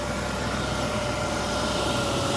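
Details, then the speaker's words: Ex-sheriff's-department auction vehicle, likely out of service six to eight months, at idle: steady, even idle with a faint constant whine and no knocks or misses. Oil pressure mid-gauge, battery charging, AC compressor kicking in, very slight exhaust leak noted. Normal idle. "I got battery. Nice. It sounds good. Sounds really good."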